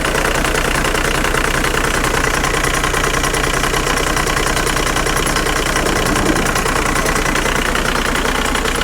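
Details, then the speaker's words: 2003 VW Jetta TDI diesel, about 200,000 miles, warmed to operating temperature at 190: steady clatter with slightly uneven beat, mildly rough idle that holds without stalling, much less harsh than before; no oil leaks. "we are up to operating temperature as you can see right there we're sitting right at 190 and it's idling a tad bit rough it's it's not anything like it was before"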